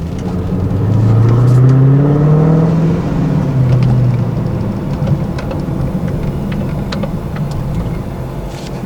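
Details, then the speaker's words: 2015+ Subaru WRX after a re-tune with the fans running to keep temps down: low engine note swells, then sags lower and uneven as it pulls away, nearly stalling after stalling moments earlier; owner suspects the tune, cause unconfirmed. "It almost died. I'm just trying to think of if it's gonna continue doing it or I need to take it back."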